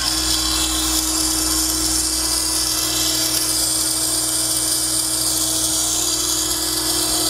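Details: Jet pump returned on warranty claim, bench-run: steady motor hum under a constant gritty rasp like gravel churning, coming from the motor side; internal grinding, cause not pinned down, likely not repairable.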